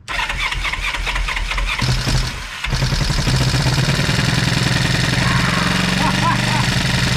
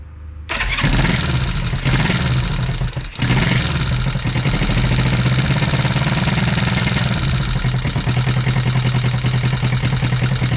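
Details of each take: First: 1973 Honda CB350, sat outside 18 years, first bench start with throttle opened to clear it: after a few coughs catches and runs at an uneven, lumpy beat; ignition coil on one side not set. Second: 1973 Honda CB350, sat outside 18 years, restart on bench with a little throttle, oil leaking from gaskets fitted wrong way: catches quickly, small blip, then steady even idle with very quiet exhaust note; oil pump confirmed working.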